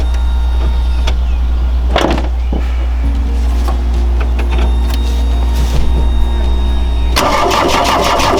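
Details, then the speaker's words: VW Rabbit Pickup diesel cranking. Starter turns at a steady, even pace with no catch or firing. Clear fuel line is dry; pump swap and retime considered. "Yeah, it's dry. So we got to somehow get fuel up to there. It just needs to keep on sucking."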